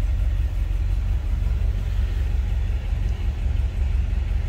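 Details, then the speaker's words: 1949 Cadillac Series 62 sedan, 331 V8 with automatic transmission, cold start: a deep, steady low rumble with an even beat of nearly three per second and no knocks or ticks. A normal cold idle. "also notice appeared the battery gauge oil pressure and it was a cold start so I can't tell you about the temp"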